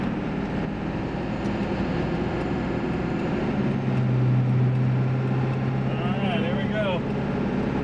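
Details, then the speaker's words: Ford F350 7.3 Powerstroke diesel on Mickey Thompson Deegan 38 315/75R16 mud tires, in-cab at about 70–72 mph on highway: constant low droning tire hum, no thumping or wobble; truck inherently loud, normal mud tire noise. "this truck is inherently loud to begin with so the tire noise is just another walk on the fire"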